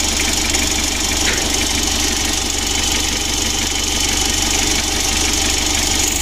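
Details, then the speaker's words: Mitsubishi L300 diesel idling with a steady light tick, about four a second, from the injection pump. An earlier humming noise has already been eliminated. "untuk seorang itiknya ini pada injection pump ya injeksi pump nya itu suaranya etik begitu"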